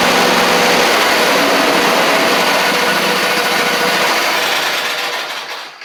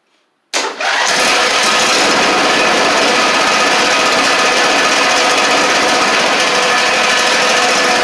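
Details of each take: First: John Deere LA130 Briggs V-twin: steady buzzing run at about three beats a second fades and dies after five seconds when blades are engaged; spark killed by a blade safety switch plug fault. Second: John Deere LA130 Briggs V-twin, first start after swapping the cylinder head for a bad valve guide that had it on one cylinder: quick start, then an even steady drone with no misses; both cylinders now firing normally.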